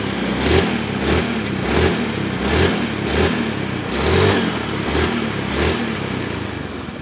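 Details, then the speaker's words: Honda Beat carbureted scooter after repair of seized engine and white smoke, now starting on one kick: steady engine with even rev swells a little over once a second, no knocking or grinding; runs clean and healthy. "Nah, kemarin tuh kan sulit ya hidupnya ya. Nah, ini cukup satu kali engkol aja langsung hidup, Guys ya."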